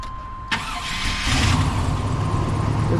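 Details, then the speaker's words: Dually truck with 454 engine, after fitting a 4.3 V6 starter: brisk, even cranking that catches within about a second and settles into a steady idle; starter now turns fast instead of dragging slowly as before. Normal fast cranking. "Turns over fast, whereas before it was like round round round."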